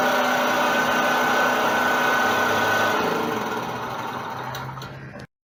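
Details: Honda four-stroke engine on a commercial pressure washer that would not start, run after valve clearance adjustment (decompressor) with fuel valve and choke open: small single-cylinder buzz at a steady even pace, no misfires, then cut off cleanly; running properly.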